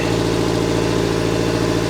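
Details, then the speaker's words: Subaru Forester petrol engine at cold-start idle: steady rhythmic exhaust puffing heard under the vehicle, seeming to come from the exhaust manifold, getting quieter as it warms; owner reports the noise goes away after driving; suspected manifold leak, not confirmed. "All right. Yeah, you can definitely hear clear exhaust leak. Sounds like maybe from under the vehicle."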